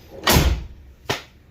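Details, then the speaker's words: 1999 Chevrolet Suburban GMT400 door after new bushings and door pin roller: one solid thunk as it latches, no longer sliding or scraping on the striker pin; normal door closing. "And let's see, just normal get out of the car, shut. Nice. Easy shut. Oh yeah. Yeah, it's not sliding. Can't hear it sliding on that striker pin anymore. It just shuts."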